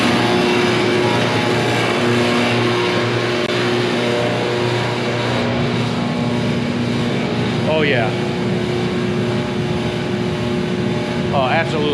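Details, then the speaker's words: Large salamander diesel shop heater, long unused, running with the thermostat turned up: loud steady roar of fan and burner with even hum, no surging or sputter; normal running, though loud. "That thing rocks, but it's loud."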